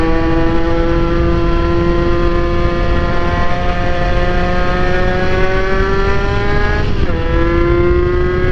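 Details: NSR80 two-stroke after head gasket replacement, main jet changed 145→140 (owner finds slightly rich but keeps for seizure safety margin): crisp buzz holding steady, briefly dipping and climbing with throttle; clean, even, no knocks or misfires; mechanical seal still leaking coolant.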